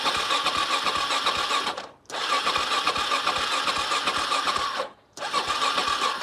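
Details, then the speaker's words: Carbureted motorcycle, cold, choke fully in, no throttle: starter cranks in steady bursts with whirring chatter and the engine never catches; cold engine won't start without choke. "okay so in this current situation with the choke fully in I'm not going to touch the throttle I'm just going to press the start button this bike won't start"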